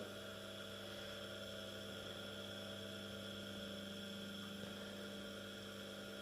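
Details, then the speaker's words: Small 230 V single-phase induction motor, no load, run from a homemade variac at its rated 230 V: smooth, constant low hum with a faint casing buzz. Slight extra vibration on the metal casing, but loudness is unchanged from lower voltages; normal running. "it's still the same our ability but have small vibrations on the metal casing yeah I'm definitely on the floor I'm sensing a bit more vibrations but the audibility of the drive the motor is pretty much the same"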